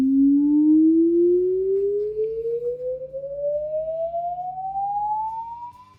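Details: JBL L19 speaker 116a woofer after repair of a buzz: signal-generator tone sweeps steadily from low to mid pitch with no buzz or rattle; woofer plays cleanly.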